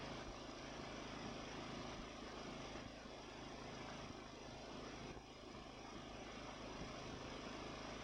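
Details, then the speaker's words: Ariens mower with Nikki carburetor, after carburetor cleaning and rebuild (problems with cheap Amazon rebuild parts): small single-cylinder engine chugging at a fairly even idle with only slight wavering; runs smooth, responds to throttle, very little surging. "Wow yeah that's just miles difference from where it was it runs smooth it responds to throttle changes very little surging"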